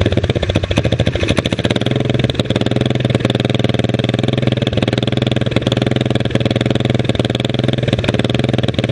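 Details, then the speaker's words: Springer motorcycle idling after snugging up exhaust to fix a leak blowing on the rider's leg: loud rapid popping about three pulses a second, stumbling unevenly; owner says carburetor needs adjusting, small exhaust leak may remain. "so i gotta mess with that carburetor some more it's not wanting to idle just right that's a lot better i'm going with it"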